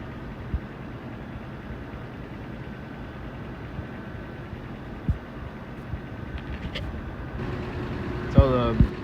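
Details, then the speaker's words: Carrier rooftop HVAC unit after belt tension adjustment for a noise complaint: blower starts with a steady low hum, no belt squeal or chirp on startup; running smooth and healthy. "just kicked on and it sounded pretty good no squealing or anything"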